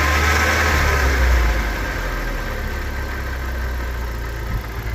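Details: Nissan 200SX S13 with CA18DET engine: lumpy, uneven idle with a low rumble that wavers and never settles into a smooth rhythm; the engine idles rough.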